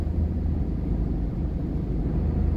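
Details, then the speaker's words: Diesel truck under way after a transmission swap replacing the G56, redone over a camshaft oil leak, running without boot or silencer: deep steady engine rumble, turbo audible, no gear whine or clatter; the new transmission is almost dead silent. "now you don't hear the transmission anymore you hear the engine"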